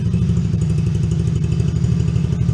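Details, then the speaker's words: Coolster 110cc Chinese youth ATV after new carburetor, air and fuel filters, lightly choked: started right up, steady deep even idle with no skips or surging, idle slightly high then turned down. "Thing started right up. Idling. I might not even need this. Idle's a little high."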